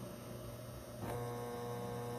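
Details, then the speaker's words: 12V 1200W Magnum Energy MagnaSine inverter charger on four LiFePO4 cells (14V, 75Ah), powering a washing machine: steady low electrical hum jumps louder as the spin load hits 1.2 kW, maxing out the inverter. "Here We Go 1.2 kilowatts it max out the inverter really interesting right you can do anything with solar"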